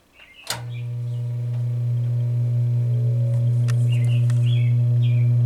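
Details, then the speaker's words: General Electric GE 20-inch box fan model F17W12, around 60 years old, original plug and cord, started on low: a click, then a smooth low hum building steadily with no scraping or rattle; healthy startup. "low just sounds like a like a solid Great Piece of a Machinery starting up and it is"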